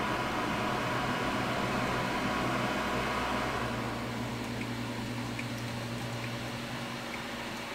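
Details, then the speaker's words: Creality Ender 3 3D printer after SKR Mini E3 v1.2 mainboard install and Noctua 40 mm hotend and board fans: steady whooshing hum from the still-stock power supply fan, fading as it spins down; loud power supply cooling fan awaiting a quieter replacement. "we will wait for that powerspike fan to turn off again you're just how quiet it is"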